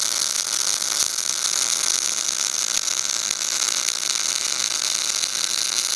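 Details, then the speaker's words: Everlast Power i-MIG 315 MIG welder, short-circuit mode, CO2 gas, 0.030 ER70S-6 wire on carbon steel: crisp, even crackle like frying bacon, no pops or stutters; arc dialed in correctly. "the main thing is listen to that bacon sound noise because you can walk up to any welder or walking by anybody and tell if their machine's tuned in when you're doing short circuit mode"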